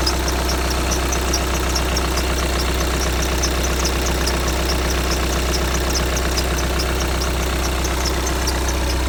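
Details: 2015 VW Tiguan 2.0 TDI 150 BMT diesel with 34,000 miles: rhythmic high-pitched squeak chirping about twice a second over the idle, only on a cold engine, fading after one or two minutes; cause unknown.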